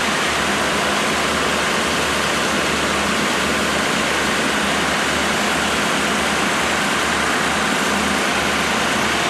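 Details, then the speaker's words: Freshly rebuilt 1987 Mercedes 560SL M117 V8 at its first break-in after 16 years idle, recorded at the front. A smooth, even, quiet idle with a steady hum, no knocks or misses; so quiet the chain tensioning is audible. Normal idle. "I mean, not as steady as that engine is right now. It's fairly steady."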